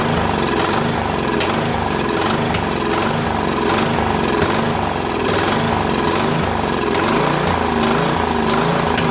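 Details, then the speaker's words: Replacement engine, 13.5 HP single cylinder, on a Craftsman mid-engine riding mower after new starter and battery: uneven thumping that surges and sags with sharp backfire pops; owner suspects the sheared key has put the timing slightly off. "has a lot of backfiring as you can hear I have a feeling that the keyway is not right"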